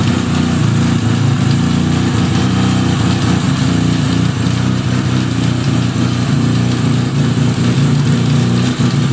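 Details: 1975 Suzuki RE5 rotary, freshly fully restored, running at a low steady idle with an uneven rattly undertone from the gearbox area; abnormal transmission noise, cause unconfirmed, engine to be removed to check the transmission internals.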